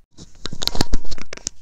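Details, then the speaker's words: Shimano Stradic 5000 FK reel, previously seized, before teardown. Irregular gritty scratching and clicking bursts as the handle turns, no smooth spin; usually bearings, possibly a broken gear, not confirmed. "So this thing needs to be ripped apart and completely replaced. Usually this is caused by bearings. Sometimes it could be a broken gear in there that causes it to seize up."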